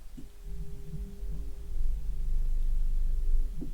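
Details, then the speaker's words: 3rd-gen Toyota 4Runner water-methanol injection pump under repair, run in controller maintenance mode before fluid was added. A steady low electric hum with a whirring tone firms up as it spins; the pump runs smoothly and normally. "and now I should be able to turn this and here the pumps run"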